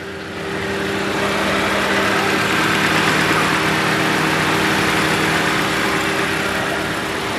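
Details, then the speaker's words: Honda Civic with shaking idle and noise when shifting, engine idling in reverse with idle set high to about 1,100 rpm to prevent stalling; heavy uneven drone and vibration under gear load, cause not pinned down: rough idle in gear. "พอฟังจากเสียงเครื่องแล้วรู้สึกว่ารอบเครื่องจะสูงมากเราจะมาตรวจสอบอาการก่อนเข้าโครงการนะฮะเข้าเกียร์ถอยนะฮะ"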